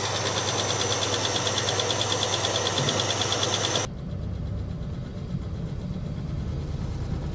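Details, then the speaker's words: 1967 Barracuda V8, last road use unknown: drops from a loud rev to a ragged idle with an uneven beat about three times a second, clearly misfiring. Old gas is suspected. Misfire at idle, cause unknown. "Doesn't sound good, that's for sure. It could have old gas in it, though, as well."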